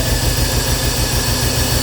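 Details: 1986 Porsche 944, base non-turbo manual, first start after about 10 years parked. Uneven, loping idle with a lumpy low thump and noisy valve train; misfire from stuck fuel injectors, freed with 12 V, possibly running on only two cylinders.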